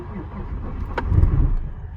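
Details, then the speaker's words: Stealth cold start at about -12° after cranking first, then starting fluid: a brief crank, then it catches and settles into a low, steady idle. Oil is a little thick but has good oil pressure. A healthy cold start. "She's a runner. See, the oil's a little thick, eh? Now that's some oil pressure."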